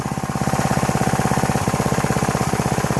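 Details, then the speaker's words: Troy-Bilt pressure washer, small single-cylinder engine, first start after sitting about 4 years, fuel system cleaned: quick even firing pulses about three per second, smooth and steady, purring with only a slight miss; normal running. "Runs great though, first time in 4 years. Listen to that thing purr. Only a slight miss."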